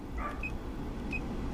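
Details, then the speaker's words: Land Rover Discovery 2 blower fan just replaced (old motor burnt, silent, no airflow): steady low airflow rumble on low fan, no rubbing or grinding, air from lower vents; blower running normally after repair. "you guys hear that I got air coming down from the bottom as well all my controls work low fan and she's off right there low looking perfect"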